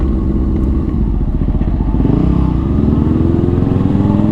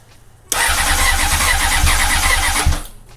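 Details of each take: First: 2004 Honda CBR600RR riding after the restrictive throttle cable was replaced. A strong, clean engine note climbs smoothly through the revs under load with no misfire or hesitation: normal acceleration, feels like a new bike. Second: 2004 Honda CBR600RR after new throttle cable and levers, fuel line just reconnected: starter whirs for a couple of seconds with only a faint grumble, never catching while fuel is primed; cranks but won't start, cause unconfirmed.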